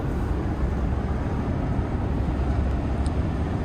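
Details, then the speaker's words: Maxxair roof vent fan on a van at 70 mph in a strong crosswind, after fixing its rattle (a part touching the lid was suspected): only steady road and wind roar, with no rattle or buzz from the vent. Quiet after repair. "well it's uh pretty good crosswind I'm going 70 miles an hour and that thing is perfectly quiet I took care of it take a look"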